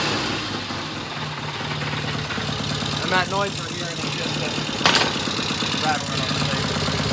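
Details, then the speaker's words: 1972 Norton Commando Combat twin after new 3-phase rotor and stator install and cleaned clutch plates: even, steady idle with light metallic rattle on top; sounds good and settled. "Success. Man, this bike sounds so good."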